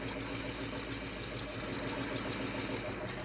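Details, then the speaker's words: Truck, first run with fuel pump and accelerator pump working, before compression test: even, steady idle with regular lope and no knocks or misses; engine judged running fine. "I'm going to say it's good. Yeah, I think it's all right."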